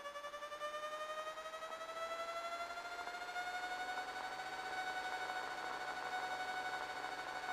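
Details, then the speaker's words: 1978 Cessna Turbo 210 intercom audio in flight; steady high whine in the headset that climbs in pitch with engine speed; oscilloscope testing traced it to the alternator, not the voltage regulator or capacitor; alternator whine. "we all of a sudden got this electrical noise in our audio system that was um not even tolerable and uh we're going to show you a clip now so that you can hear the noise and and how bad it was"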